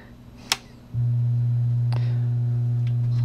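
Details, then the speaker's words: LM1875 bridged amplifier test on a full-wave bridge supply through a variac and bulb limiter: after a click at power-up, a loud steady low hum of supply ripple reaches the output. The cause was a too-small limiter bulb keeping the voltage low. "well that's not good that's power supply I'm right to the output that's why I use a bulb limiter because it's my [Music] current"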